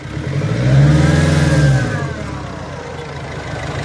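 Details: Nissan Frontier revving: engine rises then settles with a rough rattly undertone that grows with revs; noise under acceleration, cause not identified.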